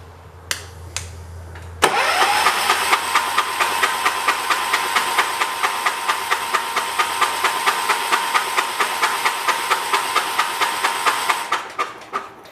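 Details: 1985 John Deere 212 tractor that sat six months on old gas mixed with diesel. The starter cranks steadily for about ten seconds at two pulses a second but never catches. The fuel pump works and pumps dirty old gas; stale fuel in the carburettor is suspected.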